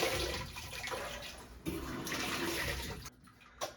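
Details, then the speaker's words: GE stackable washer on drain-and-spin after a drain fault: rushing water briefly fills then stops, the normal small fill these machines take before draining and spinning. "These machines always run a little bit of water before doing anything."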